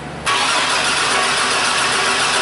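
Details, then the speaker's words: 2001 GMC Jimmy (S10 Blazer type), towed in as crank-no-start after sitting: starter spins the engine at an even cranking rate but it never catches; no spark while cranking, sparks only when the key is released, so the ignition switch drops coil power during cranking. "so that was pretty interesting to see this thing crank over but only spark when you let off the key"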